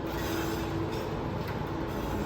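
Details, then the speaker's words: Bicycle rear wheel turned backward: light steady scraping with a faint thin squeal as the disc rotor rubs one brake pad; fixed by loosening the bolts and realigning the caliper. "맞아요이 소리예요씩이 소리 칼 가는 소리가 나죠 브레이크 패드에 디스크 로터가 닿아서 갈면서 가는 거예"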